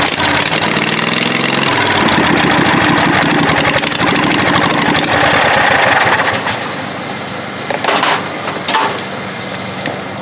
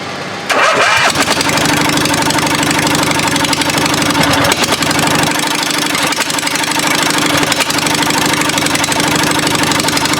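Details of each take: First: Murray riding mower's 22 HP twin engine: catches and settles into a deeper, even two-cylinder beat that picks up with throttle. Normal running on both cylinders. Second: 22 HP twin-cylinder engine for a Murray mower build: lopsided, chuffing idle firing on only the first cylinder; second cylinder has spark at the plug wire and a wet plug but no combustion; dead cylinder from a dislodged pushrod.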